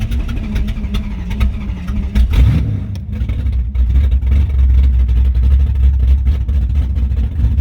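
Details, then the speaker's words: Car with Summit Max E5500 fuel injection kit after replacing a faulty injector (part 193300545-3), starter fitted: brief crank, catches, steady low rumble with blips; all four injectors spraying, runs healthy. "so yeah car runs and don't know if you guys could tell but the injector was working so we had all four"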